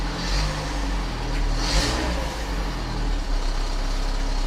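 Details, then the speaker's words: 1997 Volvo 480 idling after fuel filter and pipework replacement, on a cold morning: rough puffing blow and faint rattle over low steady rumble; exhaust leak still present. "Still got that nasty blow and rattle on the exhaust."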